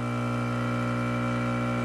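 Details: Profitec Pro 600 espresso machine pulling a shot after light pre-infusion: a steady, even buzzing hum with no rattle or surging. Quieter pump than the Expobar Brewtus IV; normal vibration-pump operation.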